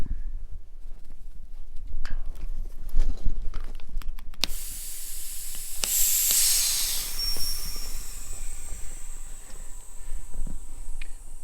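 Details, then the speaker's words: Maple sap vacuum system at 27–27.5 inches of vacuum as valves open to the woods lines; a rush of hissing air with a thin whistle caused by ice in the fittings. "you can really hear that vacuum coming down there's some ice in these fittings that make it whistle"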